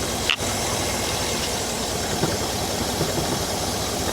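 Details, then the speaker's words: 2008 Cadillac Escalade V8, just refilled with coolant after cooling-system work, cooling system never held pressure; even, steady idle with no misses, knocks or ticks under background hiss; normal idle. "Doesn't it run great? It runs really well. Phenomenal."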